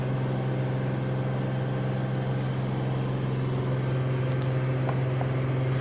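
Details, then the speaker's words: Samsung AddWash front-load washer at extra-high spin speed, ramping from 1250 to 1300 RPM: steady, even low hum holding one pitch, surprisingly quiet, no knocking or scraping; normal high-speed spin. "I do believe we're at 1250 RPM. Surprisingly, it sounds pretty quiet. Getting close. And there you go. 1300 RPM."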